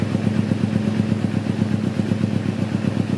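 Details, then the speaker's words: 2009 Kawasaki Ninja 250R carburetted, just serviced, at idle after starter: even steady putter with no ticking, rattle or misfire; engine smooth, valves and tensioner quiet, like new. "Suara mesinnya halus. Valve-nya, tensionernya, bisa halus ini. Ini kayak baru ini."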